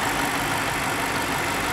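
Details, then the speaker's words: 2010 BMW 550i M-Sport, rebuilt title, engine idling: smooth, even hum with no ticks, knocks or whine, no engine smoke; healthy. "as you can hear there are no weird noises sounds great no engine smoke whatsoever"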